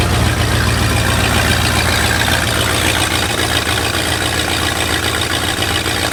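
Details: Lifted bullnose Ford carbureted V8 truck running after sitting almost 4 years, carburetor just cleaned, rebuilt and tuned: steady, fairly even low idle rumble, no knocks or misses, idling on its own; normal idle.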